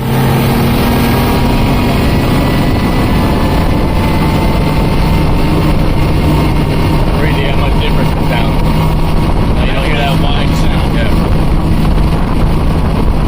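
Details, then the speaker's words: Mercury Verado 350 supercharged outboard running on the boat with the top cowling on, checked for a supercharger noise: a strong, steady, even drone with water splash and no scream. Much quieter with the cowling on; a normal healthy run. "all right as you can see in the film there it is much much quieter with those top cowlings on here"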